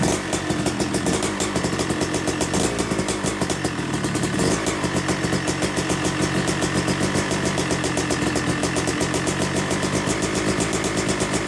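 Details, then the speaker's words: Rebuilt Yamaha YZ250 two-stroke (270cc) motocross bike, full bottom-end rebuild, second start during break-in, warming toward 100–125°: crisp, rapid two-stroke popping at even idle with light blips, no knocks or rattles; normal healthy idle. "all right here we go with start number three and we just you know let it warm up to about operating temperature which will be around 150 to 170 degrees or so and you know just revving it gently"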